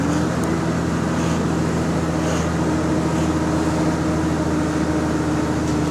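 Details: GAL EN29 bus on route 486: steady diesel drone with a constant low tone and faint puffing hiss throughout, pointing to an exhaust leak.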